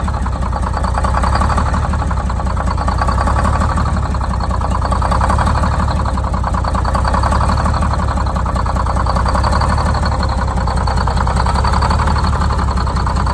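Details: Detroit Diesel 6-71, first start after new 4-valve head and Davco 382 fuel filter install, valve cover off so not revved: steady, even low-pitched idle with constant rapid beat, no misses or knocks; idle set via buffer screw; normal idle.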